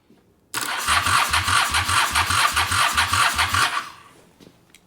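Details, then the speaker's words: Motorcycle with possibly gummed-up carbs, cranked using carb cleaner: quick even cranking about two beats a second for three seconds, almost catches then falls silent; carbs need cleaning. "Just Just give me a little bit of fire. Oops. Nothing."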